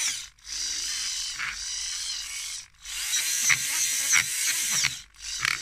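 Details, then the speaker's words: InMoov robot bicep, modified servo driving a worm gear under Arduino control: high-pitched whirring bursts with a gritty grind on each stroke; binding, suspected screws touching the case and catching the top piece. "So now, there's something binding going on. It's really grinding in here, and I've looked carefully at it, and I still think it's these screws down here."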